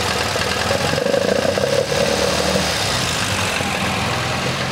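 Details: MGB GT after fixing the faulty Lumenition ignition module: even steady idle with slight cam lope, no missing beats; normal idle.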